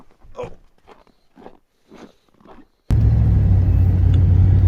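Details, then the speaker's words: 2002 Chevy Silverado rear differential after C-clip replacement and fresh fluid, driving on road test; smooth steady low drive rumble, earlier clunking gone; normal differential, no clunk. "Well, driving along here, it seems to be all right. Like right now, it would been clunking pretty bad before and it's not doing that at all."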